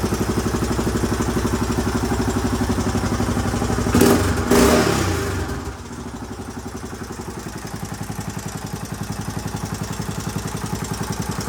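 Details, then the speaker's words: 1981 Honda XL500S single after oil change and air filter install: steady thump about four pulses a second, even after a brief blip; healthy idle, possible leak heard, carburetor not leaking. "right well she runs good i haven't had a chance to take her out on the road yet obviously but i at least know it idles and starts up pretty easily too once it's warm it started right back up with another one kick so i'm pretty happy about that"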